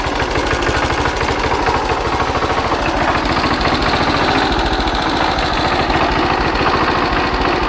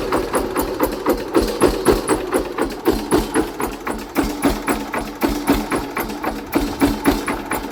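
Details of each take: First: Hatz diesel single converted to spark ignition on woodgas from a gasifier, warmed up, ignition advance retarded about 10°: steady even thump about 3.5 beats per second, no misses, sounding much better. Normal running. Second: Hatz single-cylinder diesel converted to Otto cycle running on wood gas from a gasifier, under load: sharp hard knocks about four per second over a steady beat; ignition timing set too far advanced, about to be retarded.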